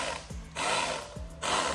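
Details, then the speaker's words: Traxxas UDR RC truck after a few jumps: motor spins up in short rising whines, then harsh metallic slapping and grinding with little power reaching the wheels. A broken rear drive shaft or other drivetrain part is suspected. "sounds like a two stroke oh it just sounds so bad it sounds so bad it's just metal slapping each [Applause] other oh it's super slow now I can tell there's no power going"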